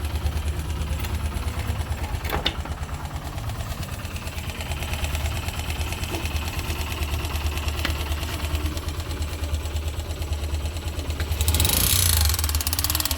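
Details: YB single-cylinder motorcycle idling with a light irregular tapping over the beat; abnormal engine noise, source not pinned down, cause suspected but not confirmed.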